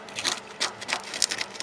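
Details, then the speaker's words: Fiat Seicento fuel tank, probed by hand where the work was done: dry, crackly crunches in short bursts instead of a solid knock, unlike a solid-sounding section nearby; rust-weakened tank metal, a known Seicento/Cinquecento problem, tank nearly empty. "Now, anyone who knows Seicentos and Cinquecentos will know that these do have a bit of a history for having rusty fuel tanks."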